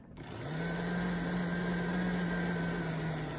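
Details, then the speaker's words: Popper coffee roaster fan motor with a manufacturing defect that appears after 30-50 roasts: it hums steadily, then its pitch sags and drags lower with an inconsistent, lugging speed, the sign of a failing fan motor. "what you should do is if you hear an inconsistent motor speed like that variable sound"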